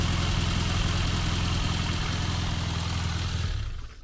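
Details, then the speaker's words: Classic Mini Cooper first started after fitting the fuel tank and a new exhaust. It catches and idles with an uneven low thrum for a few seconds, then stalls. "oh just cut out on me oh cut out again"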